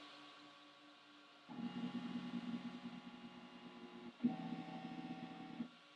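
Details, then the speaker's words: Flashforge Creator Pro 2 IDEX dual-extruder 3D printer running its calibration print, one head then the other: two bursts of buzzing stepper tones about three seconds apart, no grinding or skipping; normal printing. "And then it asks if you want to do the other direction. I'm going to say yes. Now it's printing one."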